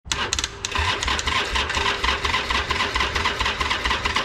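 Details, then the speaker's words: Harley-Davidson Iron 883 Sportster: starter churns with an uneven, slowish chug and never catches; long crank and no start from a weak battery. "It's gonna need a little bit longer. Yeah, we'll give it a little longer."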